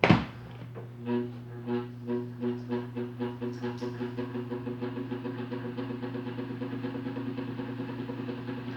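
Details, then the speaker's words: Electric fan on 220 V at low speed (speed 3 normal, noise at speeds 1 and 2): a steady loud electrical hum with a throbbing beat that quickens as it spins up; a faulty capacitor. "na onda faz o barulho defeito capacitor"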